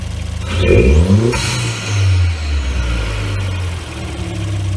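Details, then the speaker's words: 2018 Ford Escape with the 1.5 EcoBoost turbocharged intercooled four-cylinder, airbox top removed and aftermarket exhaust, heard at the front by the intake: a rev blip brings a rising turbo whistle, then a blow-off whoosh; healthy turbo and blow-off valve. "See how you can hear everything so much better? You hear the turbochargers better? You hear the blowout valve better? It sounds so much better with an intake and exhaust system."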